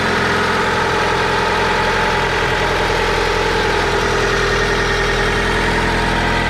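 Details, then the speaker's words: Older Honda with check engine code P0135 (needs an O2 sensor), running pretty well: a smooth, even idle with a soft steady hum and no knocks or ticks. Quiet and healthy. "so it sure needs a uh O2 sensor but as you can hear this thing is this thing is pretty quiet"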